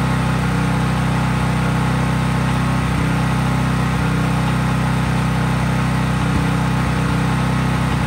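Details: Craftsman 5000 W generator at full speed with only an LED bulb plugged in, effectively no load: steady, even low drone at constant speed, no surging or misses; normal no-load running.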